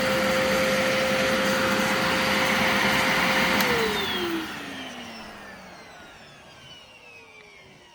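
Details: Brand-new Legacy-era high-filtration upright vacuum, briefly run with the brush stopped because it is upright (it has no brush roll shut-off switch): steady, even, constant-pitch motor whine, then a smooth spin-down after switch-off; healthy, fresh motor.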